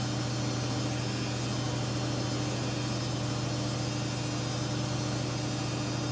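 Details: 14-year-old Samsung washer spinning at about 1000 RPM with a super unbalanced load: loud, rough, constant droning roar and low hum; owner suspects worn bearings, to be tested empty on spin.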